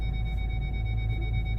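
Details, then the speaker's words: Ford Galaxy final test after repair (fault B1B53 cleared), engine running, reverse engaged: steady unbroken high tone from the rear over low engine hum, a slightly lower tone from the front near another car; working normally. "Okay, I don't know if you can hear it. You can hear at the back, I'm sure. There is a slightly lower one coming from the front because my car is just over there."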